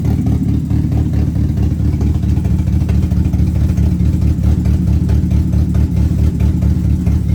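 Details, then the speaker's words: Rebuilt, built 2.2 Ecotec race car engine with Comp Cams parts; loud, deep idle with a steady, choppy lope of about two beats a second from the big cam; even and healthy: normal idle with performance cam. "Let's see if this thing will fire up. Make sure he ain't got it in gear. Yeah, we're good. Listen to that cam and that bad boy."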